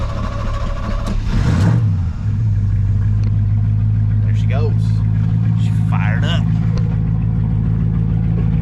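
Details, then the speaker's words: Jump-started vehicle catches, revs briefly, then settles into a deep, steady, even rumble with no knocks or misses; runs fine. "woo she sounds good yeah I think so"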